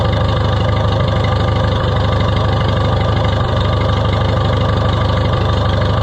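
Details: Oliver 66 tractor running again after head gasket area work: steady, even low idle thump with no surging or odd knocks; engine settled and running healthy.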